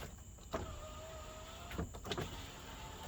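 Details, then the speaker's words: 2011 GMC Sierra 1500 SLE power window, long unused, switch cleaned and jiggled: motor whirs briefly, stops and restarts in short bursts with clunks as glass struggles up; finicky slow window, weak battery possible. "Okay, like see, it's really finicky to go back up on this one, so you just have to keep trying, you know, keep working with it."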